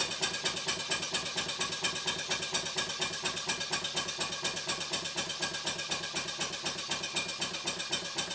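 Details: Stuart 5A or S50 model steam engine on the bench, run on compressed air from a Bambi BB50D compressor switched off before the run: crisp, even chuffs about two per second, steady air hiss, no knocks. Normal running.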